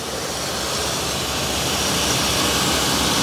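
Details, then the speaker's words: 1980 Dodge W200 pickup, 318 V8, abandoned 22 years, warming up with thermostat not yet open: steady even idle with smooth exhaust, firing on all eight after cleaning the plugs and sanding the dirty rotor. "good she sounds actually really good so cleaning the plugs seem to do the trick also sanding the rotor off it was dirty she sounds like she's firing on all eight honestly it doesn't sound like it's missing"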